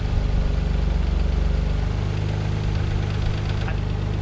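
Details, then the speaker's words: Mazda KL-DE 2.5 V6 swap, nearly warm, during idle screw adjustment in quarter turns: steady low rumble with slight hunting, still around 1,000 rpm; idle speed set too high. "we hear the idol hunting around a bit much later we're still on 1,000 RPM on that"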